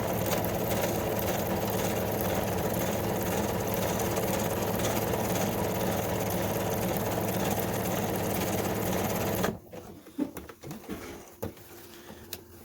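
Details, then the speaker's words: Kenmore 385.19550 computerized sewing machine stitching pattern 13 before cleaning and lubrication: loud, harsh busy clatter at about three to four stitches a second, very noisy; owner expects lubrication to smooth it. "but as you see um you hear the noise and it's very noisy actually"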